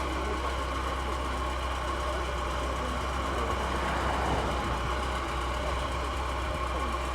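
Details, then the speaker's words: Porsche 944 petrol, first start after sitting since the late 1990s: engine idles smoothly with a steady low rumble and even, unbroken beat, sounding healthy; normal idle. "What do we think about the engine sound? Sounds pretty damn good for sitting. Sounds healthy."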